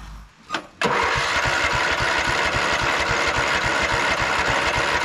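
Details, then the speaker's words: 2004 Craftsman LT1000 riding mower, brake safety bypassed during electrical work: steady starter cranking, about four compression pulses a second, never fires. Suspected fuel solenoid not clicking. "it's acting like the fuel solenoid isn't clicking yeah see it's working with this so uh let me just Loop those two see if this does it"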